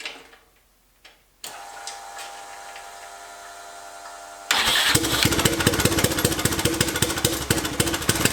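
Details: Turbocharged 660 lawn mower, first test after rear end buttoned up: about three seconds of starter whir, then loud, ragged, uneven popping; rough start, then it shut down and smoked, oil found everywhere.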